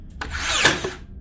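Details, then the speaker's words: Makita DBN600 cordless second-fix finishing nailer: a short motor whir builds to one sharp snap, with no thump of a nail being driven. It is blank firing, and the driver is possibly not returning far enough. "I think that one did nope still didn't fire right we have a problem yeah definitely a problem not so much not sinking the nails it's not firing them at all"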